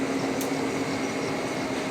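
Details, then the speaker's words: Boring a Cat 345 H-link with the boring bar stretched far out: steady cutting hiss with a faint sustained hum. Light 25-thousandths-per-side cut; a deeper cut makes it hum hard, and it is already flirting with chatter. "If I go any more than that, she starts really humming. You can hear right now it's flirting with it even at 25. You can hear a little bit of talking happening, but anyway."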